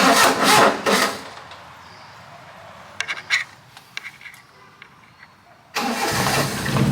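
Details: Carbureted kei mini truck with a long-standing excessive crank/rough start, started after letting the fuel pump prime; earlier fixes didn't help and the carb solenoids are being tested. The starter churns in short bursts, goes quiet, then catches after several seconds; cause unknown.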